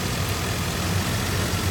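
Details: 1988 Suburban 4x4, reconditioned with a brand-new V8, factory fuel injection, oil pump, water pump and thermostat: deep, steady burble at idle with even rhythm and no ticking or knocking; healthy normal idle.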